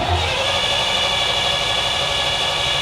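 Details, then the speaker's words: Old Chevy truck that sat about a week after an HEI distributor swap and roadside breakdown: steady starter cranking that never catches, and the inline spark tester shows no spark; 12 volts confirmed at the HEI, module swap considered. "Kind of what we expected. No spark."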